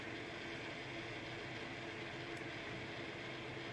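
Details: GTX 1070 graphics card fan: steady whirr with constant low droning hum, only between 40% and 80% fan speed, gone below 40% or above 80%; cause unknown.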